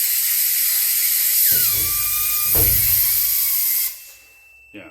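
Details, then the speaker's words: Homebuilt diesel amphibian aircraft's amphib landing gear actuator, bench-rigged and driven by air, retracting; steady air hiss with faint level tone, cutting off cleanly as it hits the up micro switch; normal gear retraction. "so it went away for a second, and then it hit the other micro switch. So now the gear's up."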